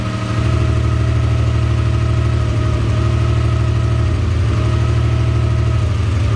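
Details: Mazda MX-3 after swap to a JDM KLZE 2.5L V6 with larger 65 mm throttle body, first start: deep, steady, even idle burble, no knock or miss; early slight miss was an unplugged wire, fixed.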